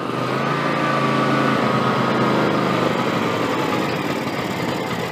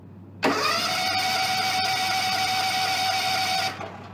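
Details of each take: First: John Deere X300 with Kawasaki FH-series engine, 17 hours, after cleaning a stuck fuel shut-off solenoid and refilling the carburetor bowl: the single catches and settles into a steady, even patter, with some black smoke. Normal idle. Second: John Deere X300 rider with Kawasaki FH engine, 17 hours, after dead battery: with choke and throttle on fast, a steady starter whir with no firing; cranks but won't start, fuel shutoff solenoid plunger on carburetor suspected stuck.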